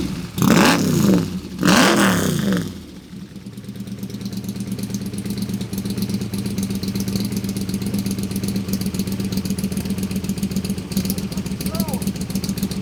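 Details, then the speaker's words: Ford FE side-oiler 427 V8 in an AC Cobra kit car with dual 600 Holley carburetors: after two hard revs it drops to a lumpy, loping idle, like running on six cylinders; carbs flooding and loading up at idle, front carb fogging at shutdown. "yeah it's like it's idling on like six cylinders"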